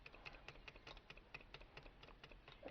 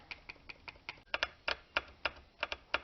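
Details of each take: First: 2002 Lexus RX300 3.0 VVT with code P1349 and bank 1 misfires; the bench-heated oil control valve solenoid clicks lightly but stops actuating its pin above about 160°, sticking at operating temperature; fixed by replacing the valve. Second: 2002 Lexus RX300 3.0 VVT oil control valve tested on the bench after cooling below about 160°: crisp, sharp clicks about four a second as it actuates normally. When hot it clicked without moving the pin, causing P1349 and bank 1 misfires.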